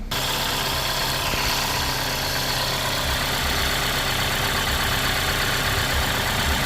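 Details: 2016 Kia Forte5 2.0L after replacing the leaking oil pressure sensor that lit the oil light at idle: smooth, even idle hum with no knocks, ticks or misses, and the oil light is off; normal idle.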